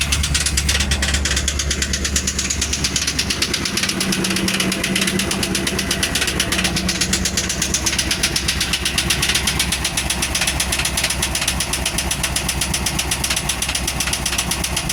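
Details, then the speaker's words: Cat-eye 1-ton truck that had sat a year or two and had its engine broken loose, first start on fresh oil: steady tapping knock about four per second; gauge shows no oil pressure, knock seems top-side, cause unconfirmed. "Got a nice knock to it though, huh? There's no oil coming out of it."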